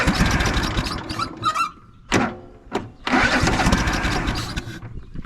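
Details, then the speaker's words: Craftsman DYS4500 riding mower, 26 hp Craftsman Courage engine, sat over a year; cranking with choke in long bursts with short pauses, never catches; owner suspects fuel pump not delivering fuel. "contact might have to check the fuel pump and see if we're actually getting fuel up to the front."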